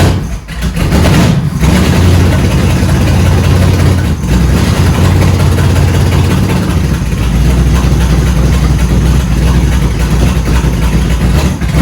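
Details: 1971 Dodge Charger Super Bee 383 Magnum, cold, after a valley pan change: lumpy, uneven idle rising and falling through blips; still rough running, owner suspects ignition timing is off again.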